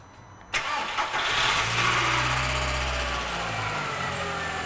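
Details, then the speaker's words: VW Jetta junker, first idle after being parked a long time: the engine fires into a rough idle with a light, fast ticking up top. Sticky lifters are suspected while oil recirculates to the top end. "okay I'm hearing a clicking though yeah it's old it's gone it's that's nothing why would it be clicking it's probably uh sticky lifters it's been parked for so long"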